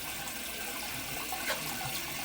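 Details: Worn-out toilet after the drain was snaked 6 feet: a hollow watery gurgle with a brief burp. This points to a partial clog about five feet down the line.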